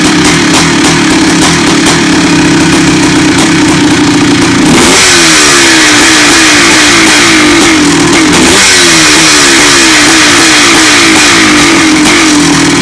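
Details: 1984 Honda CR500 two-stroke: sharp revs blip up, then sag back slowly, hanging above idle for seconds each time; a slow-dropping idle, possibly an air leak, while the motor otherwise sounds good and its fin rattle is normal resonance.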